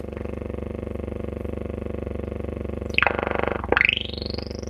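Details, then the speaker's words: Silvertone 4586 tube radio, just recapped; dim bulb test was fine. Tuning the AM band back toward 550 gives only a steady buzzing hum with fast pulsing and a sweeping whistle, with no stations. Shortwave is much quieter. "what you're hearing me slowly tuning through the am band this is all the noise i get going back the other way the dial back towards 550."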